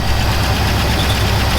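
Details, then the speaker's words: Buick estate car off the road about 13 years since 2009, just after a cold start, warming up: steady, even idle with a smooth low rumble and no knocks or misses; a healthy engine warming up. "so right now we have to just let her warm up that's going to be the big thing"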